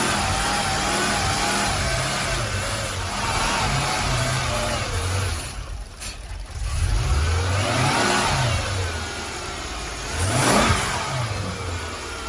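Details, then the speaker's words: 2008 Mercedes CLS 550 after spark plug and coil tune-up: revs rise and fall smoothly, no knocks, misses or rattles; sounds healthy. "That sounds healthy. It's all good. We all good."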